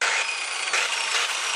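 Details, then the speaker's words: Stern angle grinder running with harsh, rough, gravelly whir and hum from the gearbox instead of a clean hum, indicating worn bearings before bearing replacement. "un ruido y un sonido característicos ... Esto indica problemas con el rodamiento."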